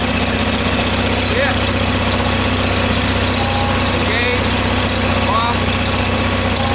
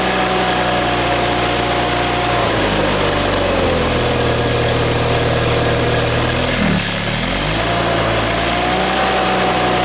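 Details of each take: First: John Deere 318 twin-cylinder engine starting; settles into an even steady idle right after starting, no misses or knocks, runs normally. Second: John Deere 318 engine just reinstalled with reworked intake manifold (previously surging), new plugs, wires and oil, shrouds off, on choke at start-up: steady hum, dip near seven seconds, recovers to fairly high idle; idle likely needs to go lower.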